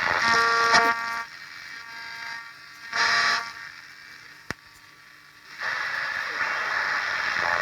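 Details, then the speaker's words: 1958 Perdio PR7 Park Lane transistor radio under repair, long wave suspected not working, distressed ceramic capacitors seen: raspy buzz then steady hiss with no station, possibly trying to receive Radio 4. Cause suspected, not confirmed. "Unless Radio 4 is being drowned out in here, which is entirely possible. Certainly sounds like it's trying."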